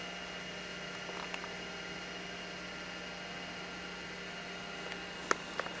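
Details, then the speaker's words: Apple Macintosh SE (dated 1987/1989, stored since 1997), MacBottom external hard drive (20MB, or possibly 10MB) switched on first from the rear power switch: quiet, steady whirring hum at even pitch with faint clicks; normal hard drive spin-up. "now i'm going to try to turn it on i'm going to uh go in the back and here's the back side here and the power switch i'm going to turn on mac bottom first and should be able to hear"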